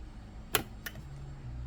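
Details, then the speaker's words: LDG Z100 auto antenna tuner connected to a CB radio, pressed to reset after tuning. Two sharp relay clicks a third of a second apart over a faint hum, then quiet; a normal, quick tune cycle. "All right, so now here we are tuned. I'm gonna press it, see it reset. You might hear the click."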